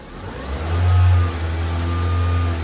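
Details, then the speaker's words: 2005 Honda Civic DX on a road test after replacing the right front wheel bearing: smooth, steady engine and road rumble with no growl or hum; the old bearing's noise is gone. "all right the noise is gone"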